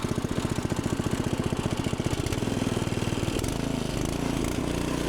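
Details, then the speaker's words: Log splitter's fairly new small engine, restarted still warm: crisp, steady firing about four beats a second smoothing into an even run; starts and runs cleanly. "now when I turn that on it's still warm so it probably fire right off"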